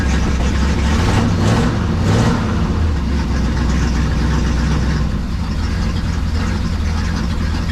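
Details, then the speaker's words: 1974 Ford F100 4x4 with 390 FE big-block V8 and electric fuel pump, cold start: deep, uneven rumble with lumpy irregular firing at idle; strong raw-fuel smell and smoke, owner suspects too much fuel. "okay there we go so it started ran but man it smells like just Raw fuel"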